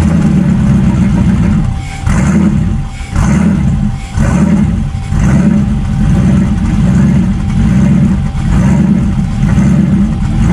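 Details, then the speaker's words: Town Car 4.6 two-valve, around 21 psi boost: engine drone with irregular dips and stumbles about once a second; random misfire, owner suspects spark plug gap set too tight. "so if you guys being honest kind of sounds like it has a little bit of a random misfire now I don't know if it's cu the plug G's too tight"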